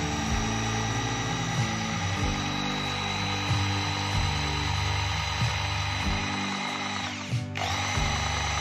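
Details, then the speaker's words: Makita 4327M jigsaw, about 2 years old, after disassembly and adding grease to the gearbox: steady high buzz with brief dips under the cut, no gearbox rattle; very smooth, normal running. "Sekarang, mari kita buktikan bagaimana bunyi mesin ini setelah dilumasi. Sangat lancar, kan, teman-teman?"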